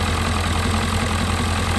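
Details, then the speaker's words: 1997 Ford Powerstroke diesel first start after two years unused, white smoke at start: deep, steady diesel clatter at even idle, no misses or surges; sounds good, normal idle, though someone remarks it sounds like knocking. "She sounds good. I drive this thing to Florida right now. Let's go."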